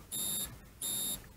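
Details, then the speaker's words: 1932 Ford sedan, ignition on accessory, left indicator on: the right-hand flasher unit's built-in buzzer gives a gentle, clean high-pitched buzz pulsing about 85 times a minute, quietened by a screw in its underside hole; working normally. "And can you hear that relay there on the right? That's buzzing. Only gentle."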